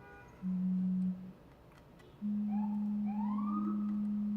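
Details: Keyboard build (HMX KD200, Devastating TKL) during PCB testing, just after some special keys misbehaved. A steady low electronic tone near 200 Hz starts, cuts out briefly, then returns and holds. It won't stop; cause unknown.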